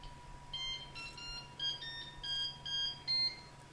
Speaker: A little ditty when it turns on.